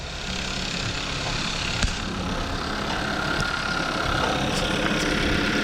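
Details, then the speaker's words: 2014 Kia Forte after replacing ignition coils on cylinders 1 and 3 for P0301 cylinder 1 misfire at idle: even, steady idle with smooth rumble, no skipped beats; normal idle, not misfiring anymore. "not the best location I can get for the myth fire it is not misfiring anymore"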